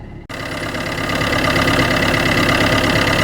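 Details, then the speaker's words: Car started with a battery booster after a flat battery: the engine catches and settles into a steady, even idle with no knocks or misses. Normal idle. "vous voyez là le moteur qui tourne"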